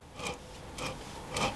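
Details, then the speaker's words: Warco Major GH40 milling machine quill removed, spindle spun by hand: a dry gritty rasp in three swells from rough worn spindle bearings, mainly the bottom one, matching the noise heard when running; to be stripped and inspected. "when i'm spinning it by hand i can hear that the bearings are quite noisy in there"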